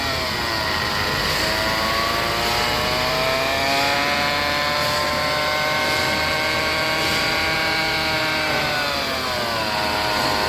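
Clear whine over road noise at low speed, with several tones rising and falling together as speed changes, pointing to the transmission. Cause suspected, not confirmed.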